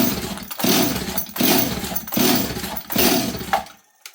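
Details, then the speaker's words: 026 chainsaw with choke on and throttle given, blue spark confirmed, seems to be getting fuel: catches and revs in short bursts about every three-quarters of a second, dying between each, then quits; not acting flooded. "give it some throttle so so it's not acting like it's flooded here let's put the choke back"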